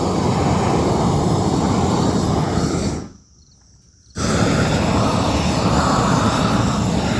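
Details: New upgraded weed torch at full flame: steady hissing roar with a brief drop-out before relighting; burns evenly and works fine, good flow, no problems unlike the previous torch.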